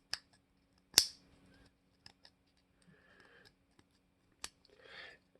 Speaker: this takes quite a bit of force to push this down and you can hear it just grinding